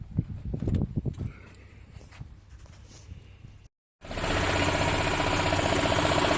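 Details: Yamaha Ultramax G23A utility cart with a pulse fuel pump, previously cranking but not starting; after handling noise and a short gap the engine catches and runs at a steady, even beat; sounds healthy.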